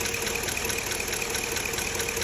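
Fast light ticking, roughly five a second, sits steadily over a smooth V8 idle: a top-end tick of unknown cause.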